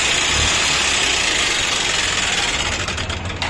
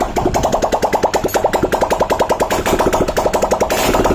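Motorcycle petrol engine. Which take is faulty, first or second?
first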